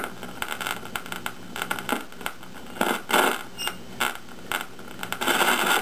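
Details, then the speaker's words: 1953 GE 548PH radio alarm clock powered at 120V: irregular harsh crackle and hiss while tuning, not atmospherics but internal leakage across the capacitors on the IF transformer's primary and secondary. "okay some life right away there's trouble hear that you weren't getting any of that through that other radio it's not atmospherics that's internal"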